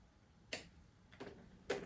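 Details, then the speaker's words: Quad roller skate wheel spun by hand with an under-tightened axle nut: three sharp, irregular clicks, a rattling rather than a smooth rolling sound; nut needs tightening, about 45° at a time. "по-перше воно шумить такий не просто шум вітру А шум прям торохтелки це перше"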